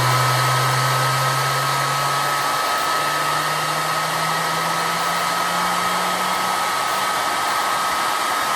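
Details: Two-stage bladeless turbo with 25 discs in the first stage, unbalanced and still on its old bearings before new ones go in: steady rush of air with a low hum climbing as it spins up. Very quiet; normal running.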